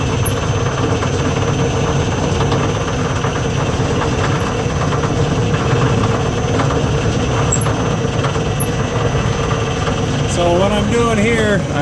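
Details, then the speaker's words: Lathe three-phase motor on a single- to three-phase VFD, basic settings, belt just reinstalled, speed control lever stiff: steady hum, rough low rumble and faint whine at constant speed; kind of noisy, cause unclear. "it's kind of noisy there's a [Music] uh speed control lever here"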